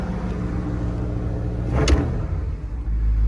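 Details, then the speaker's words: 1979 Ford Super Cab 4x4 with 460 V8, cold start at about 32°F after sitting all night, on choke fast idle: deep, steady low rumble with even beat, no knocks or misses; healthy cold fast idle. "I'll go ahead and hit that gas one so you can kind of, it's on the choke idle right"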